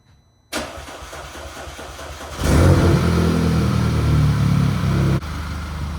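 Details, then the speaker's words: 2010 Audi A5 B8 after replacing the high-pressure fuel pump (carbon cleaning and new injectors hadn't cured misfire and rough idle), pump primed: fires after a few cranks into a steady, even idle without stumble; running much better. "I'm sure it's noticeable, but this thing is running way better after replacing a high-pressure fuel pump."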